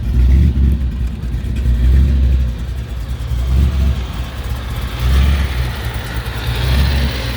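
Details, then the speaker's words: 1932 Ford hot rod sedan, 350 V8 (550 HP) with polished Weiand 6-71 blower, dual Edelbrock quads, shortie headers, dual exhaust, C6 automatic, just started: deep low rumble rising and falling in slow loping rhythm, "sounds great, nice and lumpy"; normal idle. "Sounds great. Nice and lumpy. Yeah."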